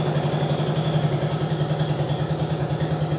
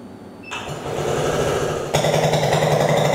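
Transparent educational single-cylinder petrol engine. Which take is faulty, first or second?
second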